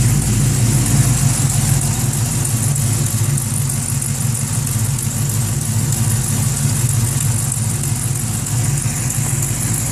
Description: Weird clanking sound. Not sure if its an exhaust leak, Valvetrain or Longtube header noise?